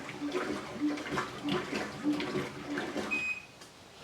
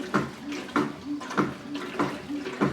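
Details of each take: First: Whirlpool Cabrio Platinum washing machine WTW8900BC0 running a cycle: even, rhythmic water swishes about every half second, no knocking or grinding; normal wash agitation. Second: Curb-found Whirlpool Cabrio WTW8900BC0 washer knocking when the agitator changes direction; a hollow thump about every 0.6 s in time with agitation. Owner suspects a worn agitator assembly; on another Cabrio a similar knock was a loose magnetic drum bolt.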